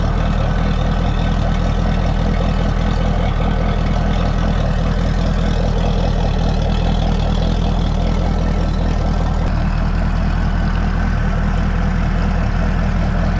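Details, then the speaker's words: Mercury 200hp V8 Pro XS outboard during a 100-hour service, running on a water hose in neutral with the water pump telltale flowing: deep, steady, even idle with a low burble and no knocking or hunting; normal idle. "we're just gonna let this sit and run for a minute"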